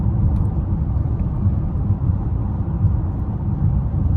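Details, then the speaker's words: 2014 Chevrolet Impala at steady speed after new tires were fitted; the earlier noise was heard at about 70 mph: low even road rumble with no hum or drone, and the car is much quieter. "Yo, that just makes me feel so much better. The car is so much more quiet now, and everything makes me want to go ahead and get that other tire for it, and then I'll be good."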